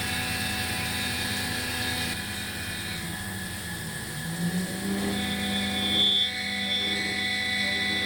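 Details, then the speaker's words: Langmuir MR-1 CNC, 3-flute carbide end mill with just over 40 mm length of cut, profile finishing a V-block at 300 mm feed: harsh wavering high squeal over the spindle noise throughout the pass; end mill chatter, rough finish. "Sounds like cats having sex in an alley. And the same on the backside. And the finish looks like it sounds."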